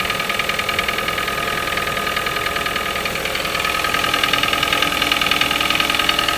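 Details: Toyota 1NZ-FE at cold idle: sharp, even, clattery ticking about 2.5 times a second. The knock appears every cold morning, fades after a few minutes and may rattle slightly when very hot after 2–3 hours of city driving. Cause unknown.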